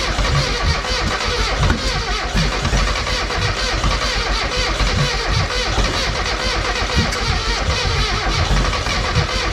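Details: Mazda Miata project car: starter cranks, engine catches roughly for a split second and dies, won't keep running; owner suspects a bad fuel issue, not confirmed.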